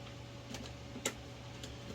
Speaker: whoa that made a clicking sound like that sound hopefully this thing doesn't blow up in my